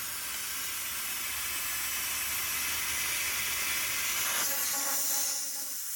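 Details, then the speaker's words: MINI Countryman R60 (2010–2016) sunroof drain blown through with compressed air: a steady, high airy hiss with no gurgle or sputter. Air passes freely, and both drains are clear. "We know that both drains work. You can hear air coming out of both of them."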